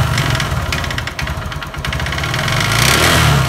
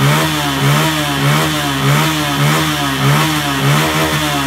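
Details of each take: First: Honda Verza with loud noise and thick white smoke, revved up close: rough clattery kletek-kletek knock rising and falling with throttle; suspected scored piston or connecting rod, later found piston scored. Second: Honda Verza single-cylinder after repair of a scored piston, replacing gaskets and oil seals: blips up and settles steadily, fairly smooth like original, no knock; slight tik-tik ticking attributed to the injector remains.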